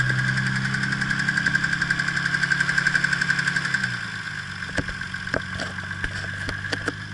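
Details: Nissan R32 GTR RB26DETT engine with a developing knock, suspected rod knock; oil pressure slightly lower, otherwise fine: rapid metallic knocking over the engine note that worsens and quickens with higher RPM. Cause not confirmed.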